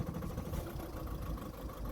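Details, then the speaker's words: 2009 VW Golf 1.6 TDI (CAYB) with an injector fault (P0203, P0606), injectors unplugged in turn to test: lumpy, uneven diesel idle with a stumble each cycle, running on two cylinders; misfire from a dead injector. "ne running on two cylinders okay as you can hear the engine is running on two cylinders"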